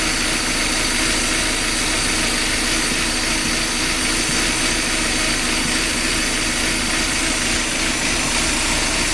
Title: Mazda 323F Rough Idle